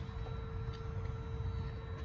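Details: Mercedes R129 SL500, first start after resetting the throttle body and clearing codes: a steady mid-pitched hum over a low, even idle that never fades. The throttle seems stuck relearning; cause not pinned down.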